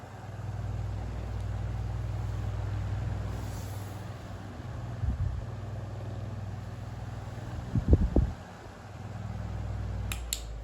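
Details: 1950s GEC 10-inch oscillating bullet desk fan running after its blades were replaced: a low, steady, even hum with only a couple of brief handling knocks; quiet, smooth, normal running.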